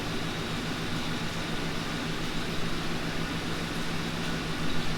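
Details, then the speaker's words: Ford Panther-platform car that had been blowing hot; steady blower air rush over low smooth engine hum, AC running normally and blowing ice cold. "Now that tells me that there's enough refrigerant now in the system that it should be blowing cold air. So let's take a look. Yeah, she's blowing ice cold there right now."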